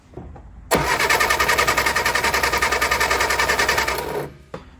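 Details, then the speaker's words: Barn-find Austin Mini 850 pickup stored 30 years, after cleaning starter switch contacts, cranked with ignition on to check points spark: even quick chug about three and a half beats a second; normal cranking, no firing. "now I'm going to turn the lights off and I'll crank the engine over with the ignition on and if the points are working good we'll see them sparking down"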